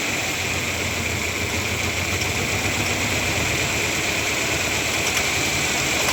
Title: 1997 Ford Ranger 4 cylinder - rough idle NEED HELP!! PART 2